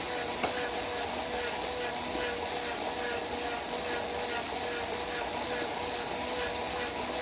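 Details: Wahoo Kickr trainer: light, irregular clicks and pops over the steady whir as it spins; popping noise, cause not yet clear.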